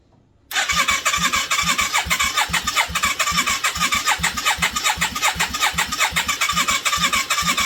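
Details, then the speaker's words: 1989 Yamaha Virago 535 V-twin parked 4 years, full choke, no exhaust fitted: fires straight up into loud open popping beats, uneven at first, picking up with throttle; healthy start and idle. "beautiful. I think she might be worth putting more work into."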